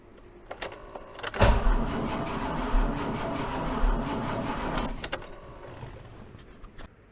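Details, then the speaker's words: BMW E28 M5 with fully refurbished, never-started engine, first crank: starter spins the engine steadily about three seconds without catching; no spark because the ignition coil connections were left unplugged. "Anyway, there was no spark and I've been checking this on and off a little bit and I realized there is one big reason why there is no spark."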